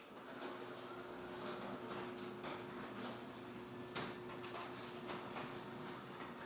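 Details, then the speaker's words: Garage door after installing Green Hinges, running on its opener: steady motor hum with only occasional soft clicks, no longer the constant chatter heard before. Finding: garage door running quietly with little rattle. "So honestly, one thing that I noticed right off the bat is I don't hear the rattling as much when the garage door is going up and down."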